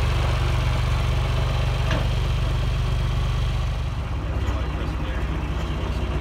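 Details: John Deere 2040 tractor diesel at idle: light, fairly regular rattle about four per second over the engine note from a worn water pump bearing with visible shaft wiggle; before repair.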